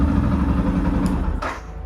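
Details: Yamaha FZ-S Version 3 BS6 motorcycle after entering the key on/off password sequence to fix no self-start: engine catches and runs with a steady, even low putter before easing down; starts and idles normally.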